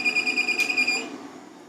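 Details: LaCie Biggest FireWire 800 enclosure, believed 2007 model, bought used with no drives, drive not spinning up, buttons unresponsive, power cable swap no help: rapid high-pitched beeps, about eight per second, fading; repeatedly fails to power on, cause unconfirmed.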